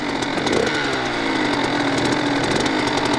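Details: Kawasaki KX100 two-stroke after street-legal conversion, first start after choke/flooding, held wide open: crisp buzzy two-stroke note pulling steadily with no misses or sputter; running cleanly.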